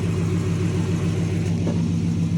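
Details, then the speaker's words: Dodge 360 Magnum V8 truck with new eBay catback, idling before light revs: deep steady burble, even pulses, no rasp or ticking; healthy exhaust tone. "That sounds really good. Here, I'm gonna sit you down. We'll do a couple little revs on it. And I actually really like the sound of that."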